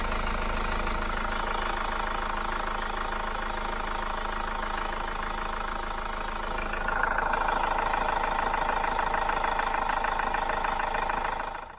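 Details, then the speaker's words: Cold-start idle of a Hyundai iLoad diesel van, owned about 3 years with 39,000 km, mostly short city trips, sound-meter test: steady even diesel clatter with no misses or odd knocks; healthy running. "So the engine's cold. So what I'm going to do is I'm going to start it up, and we're going to do the same sound test with our sound meter to see how good this stuff really is."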